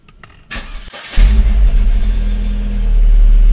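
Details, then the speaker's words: Chevrolet Vectra started with the auxiliary battery disconnected. Brief crank, then it catches at once and settles into a steady, even run; the battery is still good and the start is healthy. "Tá vendo que ele bateu direto e já pegou, né? Então a bateria ainda está ótima, pessoal, para o funcionamento do carro aí."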